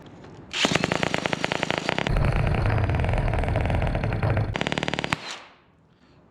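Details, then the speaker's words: Victor "Rocket Motor" model airplane engine, never heard running before, prop retightened with two locked nuts: sharp rapid firing bursts, rough popping, then a short fast run before cutting out; engine runs briefly. "That was definitely running. That is definitely running. There's no question about it. I heard it run."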